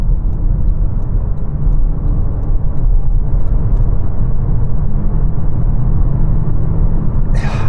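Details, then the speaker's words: New Toyota C-HR hybrid floored from 40 mph to overtake: a steady low engine drone at one pitch over road rumble, normal CVT behaviour that holds revs constant. "It's not the fastest car, but when you accelerate hard, you do get a little bit of a droning sound from the engine because of the CVT automatic gearbox, which holds the revs at a constant level and then just messes around with the gears to get you to accelerate rather than the engine revs rising, if that makes sense."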